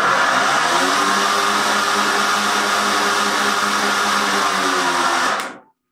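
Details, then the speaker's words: Greenworks 25302 battery mower, two 40 V batteries, after repair; start button pressed and bale held, steady even motor hum then clean wind-down at shutoff, running normally. "the start button is depressed and the bale is pulled and held to keep the mower running"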